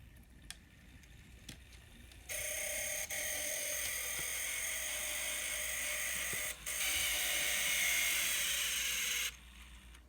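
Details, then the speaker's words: Kato SD40-2 N scale model locomotive running in reverse with a harsh high-pitched grinding buzz from its gear drive, same in both directions; owner suspects the small plastic bearings next to the worm gears. "so let's get to work on that so guaranteed that noise is the little plastic bearings next to the worm gears"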